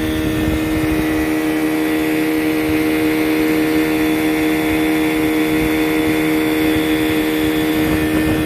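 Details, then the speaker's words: 15 hp Johnson outboard after a new lower-unit water pump and greased spline shaft: loud, even buzz at constant pitch with no misses, surging or knocks; it idles right down and goes into reverse smoothly. "yeah it'll idle right down go into reverse okay"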